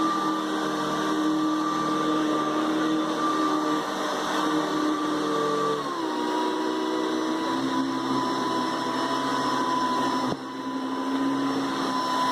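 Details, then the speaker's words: Hoover Decade 800 upright vacuum switched between speed 1 and speed 2: steady high motor whine stepping down smoothly at each speed change, no grinding or rattle; very smooth normal running. "Very smooth runner, very pleasant runner."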